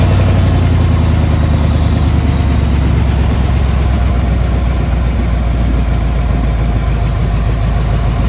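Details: 1995 Buick Roadmaster Estate Wagon V8, just revived after sitting several years. Deep, steady rumble with an even, unbroken idle and no knocks or stumbles; it idles smoothly. Coolant leaks from the upper hose, which is missing its clamp.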